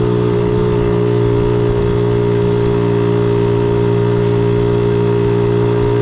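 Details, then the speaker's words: 1976 Honda Z50J1 Monkey bike after ignition timing, points and coil work. Small single idles with an even, steady beat and no misses or stumbles; sounds really good after adjustment. "About there, I think. Sounds good. Sounds really good."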